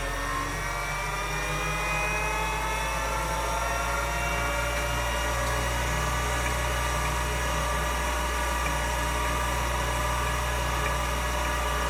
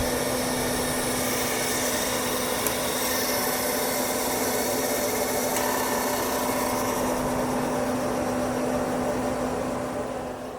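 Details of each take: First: Finch drive on a Centurion minicomputer, mic held close, after exploratory work on the drive: a steady rising whir as the platters spin up, with no gravelly humming or grinding; a smooth, healthy-sounding spin-up. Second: Finch hard drive on a Centurion minicomputer: spun up and seeked normally, then at read test made a horrific screeching, settling into a rough scraping grind with low hum, then powered down; cause unknown.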